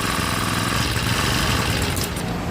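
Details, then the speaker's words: Honda GX35 brush cutter after carburetor cleaning: starts and idles only with choke on; engine runs rough and lean, faltering and stalling when choke is opened or throttle applied, even together. "เร่งก็ไม่ได้นะครับเร่งแล้วก็ดับเลยนะครับเดี๋ยวลองใหม่อีกทีนึงนะครับเอาโชกลงเอาโช๊กลงแล้วก็เร่งพร้อมกันนะครับเร่งแล้วก็ดับเลยนะครับ"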